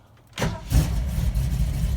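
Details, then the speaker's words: 1979 Ford F150 cold start on a snowy March day after pumping the pedal, clutch in; battery previously needed a jump and fuel was low; brief crank, catches right away and settles into a steady even rumble. "Right away, man. Right away. Look at that. This is pretty cool. Oh yeah. Gonna let it warm up a little bit."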